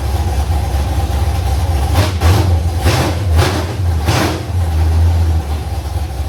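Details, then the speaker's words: First fire-up of a carbureted LS-swapped Fairmont V8 on open headers (1 7/8-inch primaries to 3-inch collector), running on float bowl fuel with pump off, about 40 psi oil pressure; lumpy, loping idle with sharp blips, good cam sound, running clean. "But, as far as a first fire up, I couldn't be happier. I'm thrilled. The It It sounds really good. It's It has good cam shaft sound."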